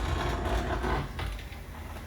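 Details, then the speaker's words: Old Porsche 911, driver's side window rolled down: low, uneven grinding and scraping as the glass travels, ending in a thunk; worn window regulator. "that isn't very Supercar like at least not the type of superar you want to be seen in today we're going to fix that by replacing the window Reg later"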